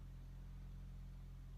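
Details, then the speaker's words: 2004 Toyota Matrix that had died on the road and would not start, restarted after the faulty part was found and fixed: smooth, even low idle hum with no misses, knocks or stumbles; starts well, running fine. "let's turn it off it's off let's crank it back up again oh we got a good start folks"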